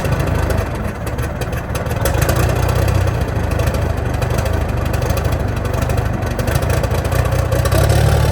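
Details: 1987 cabover truck diesel, first start in years, smoking a little: deep rumble, slightly uneven as it settles from cold start, no knocking; healthy idle, oil pressure about 40.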